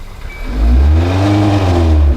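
At full throttle the engine note climbs only slightly and then sits flat and muffled; it cannot rev because the catalytic converter is plugged.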